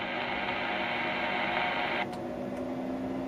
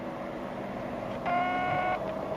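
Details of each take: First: Ham radio 203 amplifier, driven with under 10 W, with the switch bypassed: after unkeying, the hiss drops out, sharp light clicks sound as the relay switches back, then the hiss returns; normal changeover this time, though the relay is suspected of sticking. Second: Ham radio 203 amplifier on a 13.8 V supply, with the cheap switch bypassed: a steady high whistle of feedback near 700 Hz lingers after unkeying because the relay inside is sticking and has not switched back to receive.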